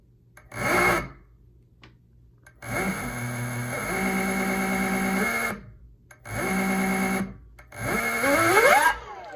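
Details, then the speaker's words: E-bike hub motor matched to a controller by swapping hall sensor wires; this combination is wrong. Short bursts of a harsh, buzzy whine rise with speed, far too loud, and current jumps to 5 A. Hall wiring is mismatched. "See, it's too loud again. That's not what you want, right? Let's see what the amps do. See, it went up to 5 amps. So that's not the right combination."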